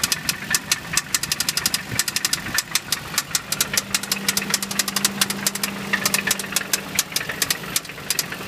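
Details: 1990 Toyota 4Runner with 22RE engine, 223k miles, new head at 10k miles, at idle: sharp fast ticking about twice a second over a rough idle; owner suspects a knocking rod plus a valve tick.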